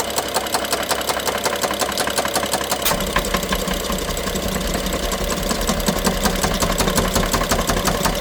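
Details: BMW F07 N55 engine running: sharp rapid ticking and knocking, loudest by cylinder 1 injector and mid-engine connector per stethoscope, worse with more throttle, sometimes stops ~3 s; timing chain inspected OK; cause unknown; top-end knocking.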